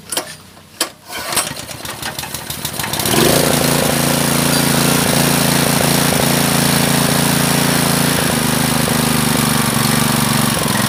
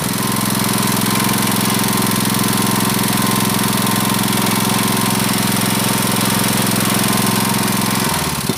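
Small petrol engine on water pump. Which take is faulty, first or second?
first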